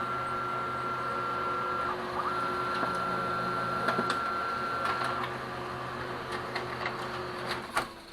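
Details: Brother DCP-L2500D copier runs a copy smoothly after the faulty knocking scan bar (LT2868001) was replaced with a non-original Samsung bar: steady motor whine and even mechanical whirring, no scanner knocking.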